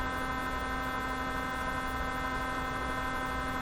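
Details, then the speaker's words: 1957 Chevy Wonderbar car radio at its first cautious power-up, tubes lit: a steady low mains-type hum with a faint buzz comes through the speaker and sounds exactly like a vibrator. The radio has a power supply inside a can; the cause is unknown. "but the real curiosity is what's going on with this radio why is it making this noise it sounds exactly like a vibrator"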